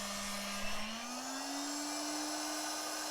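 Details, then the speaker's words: Small air pump with a suspect power supply: when the outlet is covered to stop airflow, the motor's whine climbs in pitch and holds as load drops. "now if i cover this up and stop any airflow the motor gonna get less load"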